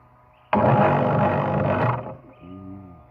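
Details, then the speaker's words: Panasonic water pump motor after its failed capacitor was replaced: it now runs but with a loud, coarse roar from a worn, loose bearing that needs fixing. "Sekarang yang bunyi kasar ni. >> Hmm. >> Ni dah bearing dah goncang."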